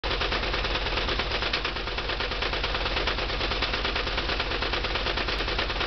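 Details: VW Type 4 2-litre engine running: sharp, rapid, loud, fairly uneven knocking like gunfire; cause not yet known, recorded for remote diagnosis.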